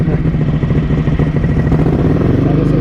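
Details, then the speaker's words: Ducati 900SS bevel-drive V-twin, cold start on choke during lambda/AFR jetting tests with 55 idle jets, 135 mains and stock K5 needles, through noisy special test exhaust headers: loud, deep, choppy, steady idle; normal cold idle. "Loud. This is loud. This is with these special exhaust headers that are a lot noisier."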